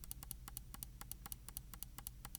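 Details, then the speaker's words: Logitech G604 wireless mouse left button after replacing the double-clicking worn OMRON switch with a Kailh 80M switch, click test: crisp single clicks about five a second, no doubles, perfect count; normal click. "So with the previous switch in there, this would be probably at like 78 or maybe even 80 by now. We're getting perfect count now, and it feels great."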